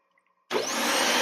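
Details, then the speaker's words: Dyson DC25 vacuum test-run after all three switches (power and brush-bar buttons) were replaced, before reassembly. Silence, then the motor switches on and settles into a steady, high, airy whine; power works normally. "Okay, guys, all three switches are replaced. It's going to be kind of noisy, forgive me."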